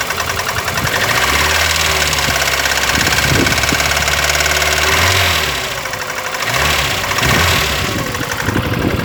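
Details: VAZ 21099, cold engine, knock began faint at idle and grew after 50 km, then driven about 350 km: uneven fast ticking knock, three or four per second, over a busy idle roar; cause not stated.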